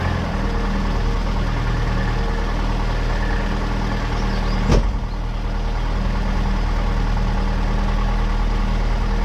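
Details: Austin Allegro after fitting new HT leads, replacing old king lead that sparked, causing misfire, judder and ticking; after damp winter storage: low, steady, even idle, one brief knock, no ticking; normal idle.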